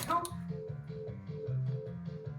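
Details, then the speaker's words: Data East Rocky and Bullwinkle pinball machine, powered up after installing a new GI light connector: short electronic startup jingle with bass and chime notes about twice a second; soundboard boots normally. "Sounds like it's booted up. Soundboard booted. Yep, it's booted."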